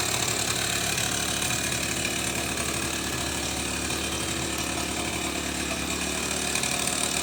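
Scooter idles with a rough, uneven rattle and faint irregular knocking over a busy buzz; something's off, but the exact cause isn't clear.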